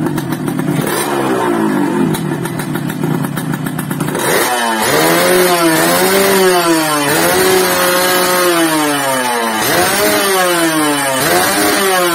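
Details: Yamaha RX-King two-stroke motorcycle (stated as 2006 and also as '94), previously sluggish from overly extreme porting, after the repair. Crisp blips climbing and dropping cleanly with each throttle stab, pulling freely up the revs; the engine sounds healthy.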